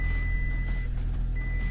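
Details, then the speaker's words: Insurance-auction car with no coolant in it, engine fighting to stay running: heavy, uneven low rumble with a faltering beat before it quits; rough running, cause unclear. "This thing is super nice. It does not want to run. It's fighting. It's fighting to run."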